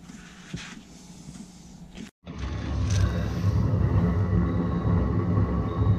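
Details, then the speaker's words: Chinese diesel heater in a 1981 GMC school bus, straight-pipe exhaust with muffler removed, first start after sitting all summer: glow plug heats the chamber, then a steady low rumbling roar builds and holds even with no sputter. Healthy, fired right up. "so you saw how easy it fired up that's the first fire for the year so it's been setting setting all all summer and it fired right up"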